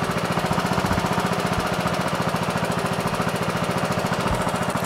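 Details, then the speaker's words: Briggs & Stratton Intek 20 hp twin on an MTD Yard Machines lawn tractor, after fitting a third replacement carburetor, an original Nikki: steady, even twin-cylinder thump at constant speed, no surging, no adjustment needed; normal running. "sounds great. Sounds wonderful. See what a difference a carburetor makes, man. So this was an original Nikki, right? And it runs great."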